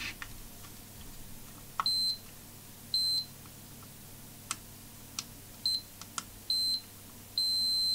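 Several sharp high beeps, some brief and some held, each confirming a connected track between the probe points.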